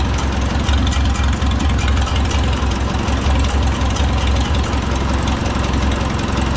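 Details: Oliver 66 tractor with replacement Marvel Schebler TSX carburetor, idle mixture screw being adjusted: steady low exhaust beat with no hunting or labouring; engine idles smoothly and evenly.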